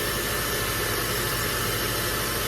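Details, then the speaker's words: 2003 Honda Element idling just after serpentine belt replacement: steady, even idle hum with no squeal, chirp or belt slapping, nothing flapping around; engine and accessory drive sound normal. "Well, it looks a lot better. It's not anything flapping around, parts not being chucked off into the engine compartment, ripping up my wiring."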